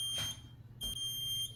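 Two long, shrill beeps about half a second each with a short gap between; the panel's alarm sounder is going off.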